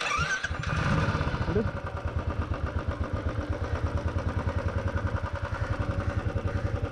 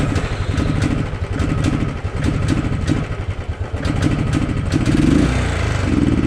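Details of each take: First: Royal Enfield 350 Thunderbird with a bogging and pickup problem, after carburetor cleaning: catches quickly and settles into a steady, deep thumping idle with no stumbles until switched off; bogging resolved. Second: Royal Enfield Thunderbird 350 single with poor pickup and mileage: thump picks up unevenly on each blip and sags before climbing; a dirty carburetor causes bogging, resolved by carburetor cleaning.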